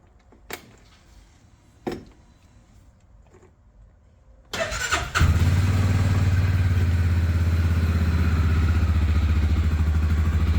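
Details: Massimo T-Boss 550 side-by-side UTV after the aluminum heat shield was removed and foam padding added under the all-metal bed: cranks, catches and settles into a steady, deep idle with no metallic bed rattle.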